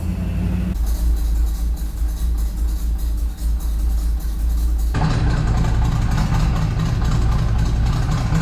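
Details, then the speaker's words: Freshly built small block V8 with Comp Cams XE268 cam in an '85 C10, after 25-minute cam break-in at 2,500 rpm: lumpy, loping idle barely hanging on, won't idle on its own until throttle screw turned in; timing and carb not yet tuned. "All I did was turn in the throttle screw, just to keep it idling. It's not idling on its own."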